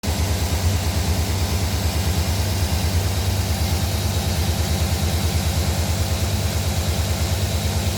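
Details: 2009 Silverado cold start at idle: steady, repetitive knock about three a second riding on the engine beat; cause undetermined.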